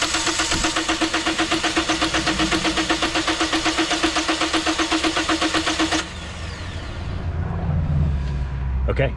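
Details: 2010 Toyota Corolla: an even starter chug at about four per second for six seconds, and the engine never catches; crank no start, confirmed by fuel pressure gauge test as a defective fuel pump.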